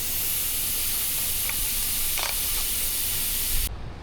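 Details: Sea-Doo four-stroke engine during a leak-down test: a steady, loud air hiss comes out the exhaust, then cuts off, with only slight intake leakage; air is passing leaking exhaust valve seats.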